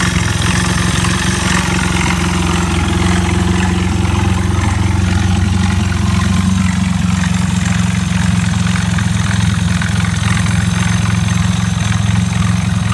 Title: エイプ1○5 エンジンから異音